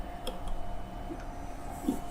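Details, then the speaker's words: Shark motorcycle radio powered on a bench in audio-input mode: faint irregular pops and crackles over a low hum from small speakers; the fault was later found to be a fuse with a loose connection. "You can hear popping, crackling."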